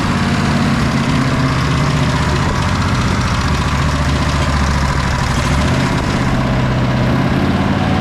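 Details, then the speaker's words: Sabre by John Deere twin lawn tractor after clearing a clogged carburetor port and a loose post on the dead-cylinder side: firm, even fast-idle drone, both cylinders firing, burning off buildup. The replacement carb won't idle fully down, but it runs really nice. "But um this thing is running really nice now."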